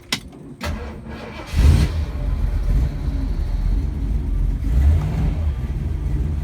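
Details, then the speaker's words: 1948 Mercury coupe, cold start: a couple of cranks, catches, settles into deep steady even throaty burble with light blip, not overbearing; oil pressure a little over 60 at idle, water temperature cold. Normal start and rev. "Has a nice throaty sound to it. It's not overbearing by any means."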